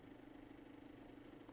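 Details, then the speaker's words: VCR/DVD combo ZV427MG9A powered up through a variac: steady droning whir with a fixed hum of a couple hundred hertz and a fluttery edge. The cooling fan itself is noisy; nothing is touching it. "he is correct the fan is noisy and no it's not because something's touching the fan it's just a noisy fan"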